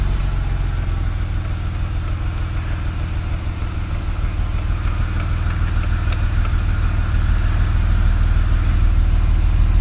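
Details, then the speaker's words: 2008 BMW X3 with intermittent misfire, engine warmed up, idling before brake torque test; steady even low rumble with no stumble or skipped beats: normal warm idle, no misfire. "So right now we're smooth and steady."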